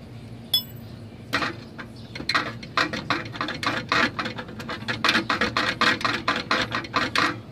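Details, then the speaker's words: Toyota Avalon back after a timing belt job with a new rattle: quick, uneven bursts of tinny metallic rattling about three a second over a low steady hum, clearly from underneath the car, unrelated to the timing belt work. "the customer says that there's a rattle noise and that that noise wasn't there before I did the timing belt so uh all right so I brought the car in started looking around and it's clear as day that the noise is coming from underneath the car"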